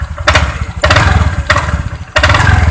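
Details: Honda Vario 125 scooter at low idle, throttle closed: uneven idle with loud clacking bursts about every two-thirds of a second from the CVT belt-drive side, silent when throttle is opened. Knocking attributed to worn CVT roller slider pads.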